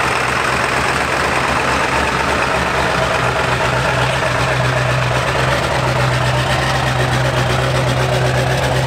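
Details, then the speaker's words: Totaled Ford 7.3 Powerstroke diesel idling after being revived, running rich: raspy, uneven puffing chuff over the diesel clatter, about four a second. The exhaust broke off and sits half on at the turbo, causing an exhaust leak. "Now, it does sound a little bit funky, that's because the exhaust broke off. And it sounds kind of funky, and also, the exhaust kind of is halfway on and off right at the turbo"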